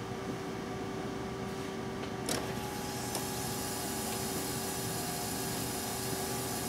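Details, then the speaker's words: Cadillac with battery about 12.5 V and charger connected, key turned to crank: one faint click then only electrical hum and running fuel pump, no crank at all, headlights on; cause is a bad engine block ground. "as you heard, no crank at all. If you could see the headlights, you'd see that they are on."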